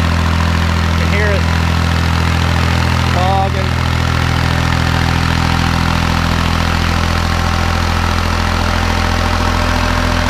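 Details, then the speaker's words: Kubota B7100 diesel tractor driving a 7200 W NorthStar PTO generator, load pushed to about 4000 W (roughly 8 hp); deep, labored drone with throttle dropping and pitch sagging. Engine lugging near its maximum load. "let's go up and see what happens to our little tractor when we try and push it harder there's 60 here here the throttle's dropping now it's struggling"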